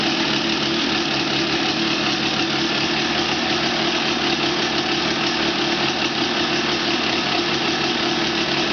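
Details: 1989 Honda CR250R first start after a year-long restoration, engine rebuilt with all-new bearings and seals, warming up: crisp, even two-stroke ring-ding at a steady idle with no knocks or rattles, running healthy.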